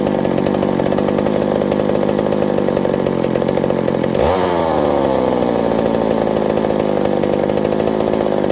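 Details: McCulloch 790 (MC101) chainsaw with new 090 carburetor, muffler loosening from broken bolt: screams at high revs, then pitch dips sharply and partly recovers; bogs under load, owner suspects fuel starvation or an intake gasket vacuum leak.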